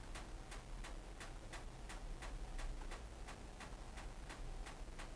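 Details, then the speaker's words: Hotpoint NSWM 1043C 10kg inverter-motor washing machine in spin: sharp, evenly spaced ticks nearly three a second over a low hum. Suspected cause is a spring inside that has moved and is ticking against the side. "that ticking would annoy me I have a feeling it's just spring on the side needs a bit of cushioning or has moved aside or something like that ticking against the side of the machine internally"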